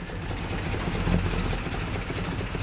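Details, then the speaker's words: 1958 Plymouth barn find, first drive under its own power in 30 years: deep, steady V8 burble with even low rumble, no knocks or misses, quiet exhaust, running good. Normal idle. "wow wow listen to that exhaust man she's running good I cannot believe this nice and quiet up here"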